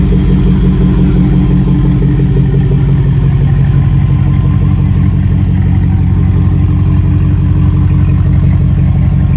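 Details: LS-swap V8 running after VATS was deleted from the PCM; loud, even, deep rumble with a regular beat and no misses or clatter: normal running.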